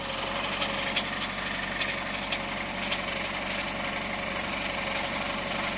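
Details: Subaru with automatic transmission, knock that sometimes stopped: sharp, irregular metallic ticks over a quiet idle. After engine removal the drive plate was found cracked through a bolt hole. Cracked flexplate.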